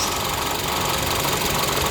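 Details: 2012 Honda Civic EX idling: a fast, steady rattling knock appears once the A/C engages, louder on the first switch-on and quieter on the second; source not pinned down.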